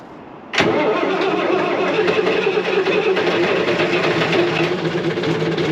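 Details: Classic Volvo F7 diesel truck with a newly fitted Eminox exhaust, first start after the install: catches at once and settles into a steady, even idle with no misses or knocks; healthy start.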